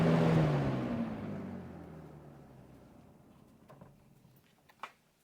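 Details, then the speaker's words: Vintage Robeson Kool One box fan with PSC motor after cleaning and service: hum and air rush fade smoothly over about four seconds, no rattle or scrape; very good spin-down. "but look at that spin down. It's actually really really good. It has a great motor."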